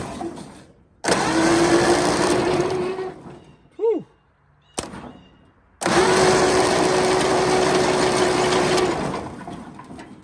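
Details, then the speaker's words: 1929 Ford Model A four-cylinder abandoned 75+ years, likely used as a doodlebug or power unit, plugs out with fluid on the intake and water found: two long starter runs with steady whir and even rhythm, no binding; cylinders hold compression, not seized. "not too bad everything does what it's supposed to do I can hear the cylinders with compression in them"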